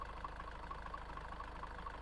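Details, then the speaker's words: High-mileage Range Rover Evoque diesel at idle, with the engine mount taken out of the equation and the mic under the car: an uneven, loose rattle as the engine still shakes; owner suspects the dual mass flywheel. Engine shake at idle. "and the engine's still rattling around. it is still moving around. It's not as bad. I think this needs a dual mass flywheel."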